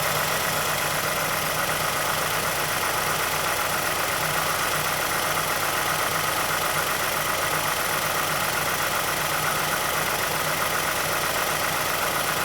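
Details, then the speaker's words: 2006 Mazdaspeed6 (SSP-87 VVT/timing chain program), started from cold and left idling a minute: light, fairly even click about two or three a second from the timing chain area; ticking at idle, cause unconfirmed. "Be difficult to hear over the engine noise, but there's a pronounced click coming from the timing chain area."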